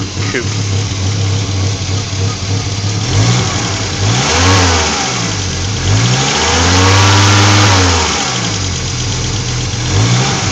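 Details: 1986 Audi GT Coupe petrol engine idling and revving: steady airy hiss riding over the exhaust note from an exhaust leak.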